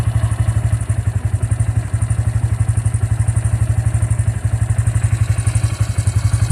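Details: Bajaj motorcycle after its engine was opened: steady single-cylinder idle with a sharp thump about four times a second; abnormal mechanical engine knocking, cause unknown.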